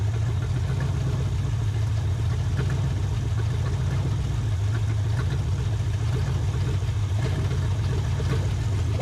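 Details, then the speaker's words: 1980 Camaro V8 back on the road after a decade, running on a used carb: loud, lumpy idle with an uneven low pulse and slight stumbles; owner suspects timing is slightly off and a knock wanting to happen, not confirmed. "Sounds like it's a hair bit out of time. Might hear a little bit of a knock wanting to happen. It ain't exactly running the bestest."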